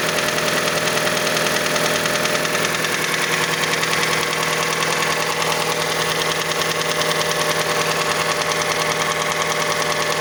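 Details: Mazda CX-5 engine knocking until about 70°C: steady rapid ticking around three per second over an even idle. Cause unknown; the variable valve timing mechanism is suspected.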